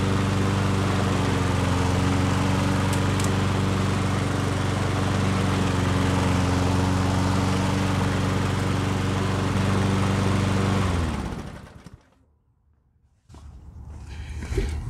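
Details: Nearly new Yard Works self-propelled push mower said to be seized, running after $0 fix: steady even beat about four per second for eleven seconds, no knock or rattle, clean shutdown; normal running.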